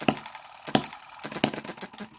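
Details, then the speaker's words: Microcosm M17 1.6cc hit-and-miss model engine with the mixture richened: sharp single firings about every two-thirds of a second grow weaker and uneven, then stop. It dies from over-rich mixture and flooding. "yeah it has yep it sort of collects the richness saves it up and then dies..."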